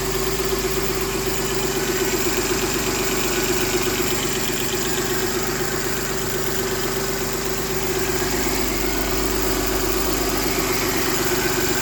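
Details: M272 engine at idle: a light, quick tick of about four per second over a steady idle; a top-end ticking at idle whose source is unknown.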